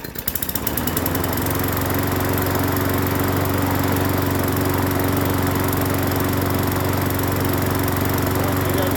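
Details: Free Hyper Tough 20-inch push mower (MNA152516), first start after cleaning the carburetor and gas tank and adding fresh gas; pull-start catches quickly, steady even drone, no misses or shaking; normal running.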